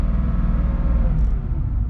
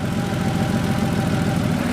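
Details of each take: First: Warm Porsche 3.2 Carrera flat-six, rebuilt engine, idling around 1000 rpm after a brief rev: deep rumble rising and falling slowly and irregularly; idle surge that stops under clutch load, caused by base idle adjustment set too high. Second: Porsche 3.2 Carrera flat-six after base idle adjustment screw turned about four and a half turns down from 900+: smooth, even low rumble at steady 800 rpm, no hunting or misses; idle fixed, correct for this car.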